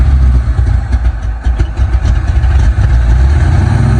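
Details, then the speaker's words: 1968 Ford F100, cold start after several cranks, possibly low on fuel, no mufflers, shorty headers and 3-inch pipe: deep throaty V8 burble, loping slightly uneven beat as it warms; normal cold idle. "Sounds good though. What do you think about that? It's kind of better without mufflers."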